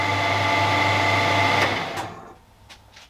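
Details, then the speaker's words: Harrison M300 lathe run after new drive V-belts and apron, headstock and gearbox oil changes: smooth, steady hum with a clean whir, no knocks or gear chatter, then spin-down. It is running healthy. "so those belts look really smooth and we've got no unusual noises coming from the lath the gear side of it anyway so that's really good generally then I'm really happy at the minute how that La sounds No weird noises and everything seems to be working as it should so that's"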